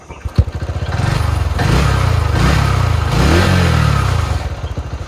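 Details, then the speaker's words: TVS XL100 BS6 silent-start moped with no problem: quick clean start, brief rev, then even steady idle putter; running healthy. "ಈ ಗಾಡಿ ಏನು problem ಇಲ್ಲ, ಚೆನ್ನಾಗಿದೆ."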